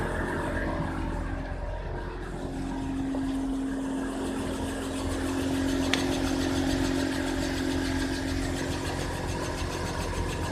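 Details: Worn wheel bearing (hub bearing) on a Subaru Outback BP9: a steady low droning hum rises out of the road noise while cruising and holds an even pitch.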